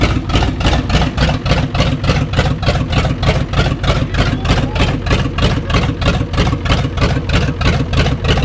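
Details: 1989 Ford 7.3 IDI diesel just after bleeding air from the fuel system: heavy, steady clatter at about three pulses a second, slightly uneven; rough idle, air suspected still in the fuel system.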